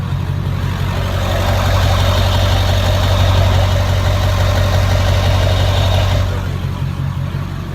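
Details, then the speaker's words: Truck idling during a minor A inspection, listened to at the exhaust stack after a cold start. Deep, even idle at about four beats a second with no puffing or ticking, so there is no exhaust leak and it sounds healthy. "so here's my stack right here and as I'm listening I don't hear any kind of exhaust leak"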